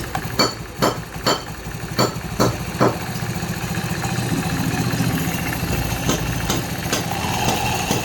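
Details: Honda Grazia scooter after bent crankshaft straightened on the vehicle: a few sharp hammer blows, then engine comes up to fairly even idle with no obvious knock or wobble.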